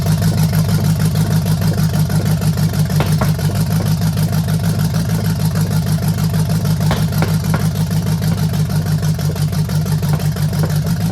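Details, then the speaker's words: 1968 Chevelle, free small-block V8 with cheap headers, first run: loud idle with a steady rhythmic pop about three times a second in the exhaust beat; one exhaust valve not sealing, also a large gas leak. "What it is is that rhythmic popping over here means that one of the exhaust valves is not sealing."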